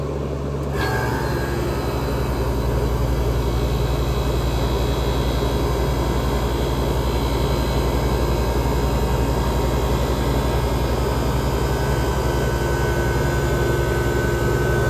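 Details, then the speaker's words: 1978 Comfort-Aire Quietmaster air conditioner, first major run with a dirty, blocked condenser coil, microphone at the compressor, fans on condenser and evaporator: compressor starts under a second in, then settles to a smooth steady low hum; runs healthy. "here we go it's running Blasco 3733 is obviously doing quite well"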